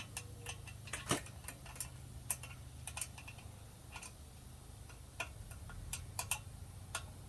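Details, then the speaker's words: Lectric XP e-bike, wheel spinning freely after remounting the tire: light, unevenly spaced ticks as the brake rotor rubs the pads; rotor seems slightly warped; loosening the caliper and squeezing the lever stopped the rub. "is actually rubbing on the brakes still but sometimes you can adjust this all the way out you still get that noise"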